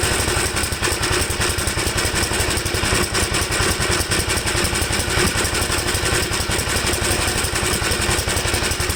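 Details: 1954 Gravely single-cylinder tractor after carburetor jets cleaned, starting on choke: chugs unevenly, stumbling and surging with loose clatter; owner says it seems to run rich and stalls whenever the mixture is leaned, cause unconfirmed.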